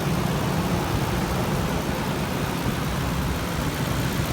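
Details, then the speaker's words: 2008 Ford Expedition 5.4 V8 after replacing spark plugs and coil packs and fixing two loose plugs that caused popping: steady, even low rumble, no stumble or misfire; smooth idle. "This engine sounds a lot smoother now, and we're going to go ahead and call this one home, guys."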